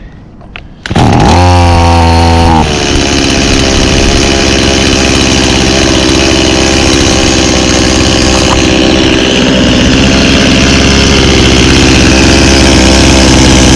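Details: 1991 Stihl 018C chainsaw started on half choke for the season. After a pull it catches and settles into a loud, steady high buzz that holds even, with no misses or sputter; it runs healthy.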